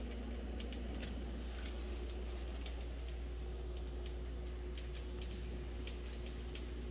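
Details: Whirlpool refrigerator: sharp, irregular ticks and clicks over a steady low running hum; repeated clicking, source not yet traced.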